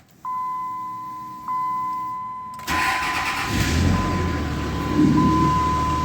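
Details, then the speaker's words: 2003 Dodge Ram 3500 dually diesel being brought back to running with fresh coolant and oil change: dash chime, short crank, catches quickly and settles into a steady idle; clean, healthy start before working the steering, ABS light on from an unplugged wheel sensor. "All right, well, let's crank it up and work the steering back and forth a couple of times."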